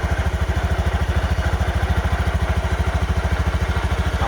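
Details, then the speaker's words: Honda Zoomer X scooter with about 21,700 on the odometer, freshly started and idling: soft, even putter of about three pulses a second, no knocks or rattles; starts easily and sounds smooth. Normal idle. "เสียงเครื่องนั้นโดยรวมนะครับผมสตาร์ตก็ติดง่ายนะครับเสียงเครื่องก็นุ่มนะครับ"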